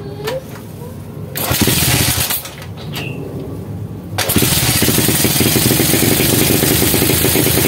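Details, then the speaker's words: Honda CB100 single-cylinder, unused for years in a warehouse, first start after cleaning calcified carburetor, ignition and compression checked normal; a few cranks, catches at about four seconds, settles into even steady run, healthy. "oke mas bro Alhamdulillah Ini E ini mesin sudah bisa hidup ya"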